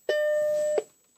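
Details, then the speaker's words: Mac Plus powered on after a suspected bad solder joint was poked with a plastic tool: a thin, steady high-pitched coil whine, likely from the analog board, continues through and after the startup beep while the picture stays normal; cause unknown. "so I'm getting a weird noise kind of a high-pitched whine no that's not good"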